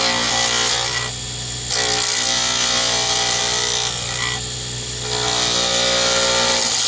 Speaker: so I'm going to let you hear more of this than I usually do so you realize when you hear the clattering that uh that is normal when you're working with a d-shape you're hitting the corners twice so you are going to hear it clunk clunk clunk